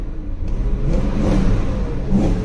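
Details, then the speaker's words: BMW V8 at a salvage auction, throttle blips after oil circulated: rise and fall of revs sounds slightly uneven and lumpy. Engine misfire. "Let's give her some throttle now that she's had some chance to circulate the oil. Ooh, she got a misfire, for sure."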